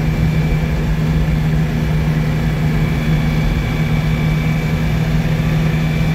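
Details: 1962 Citroën 2CV test drive after engine rebuild: steady, even low drone from the twin at constant road pace, no knocks or rattles; running healthy.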